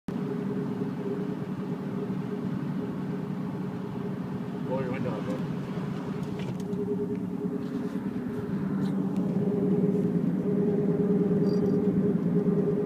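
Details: Mazda CX-7 while driving: a steady low hum under road noise, growing a bit louder later, suspected left rear wheel bearing, not confirmed.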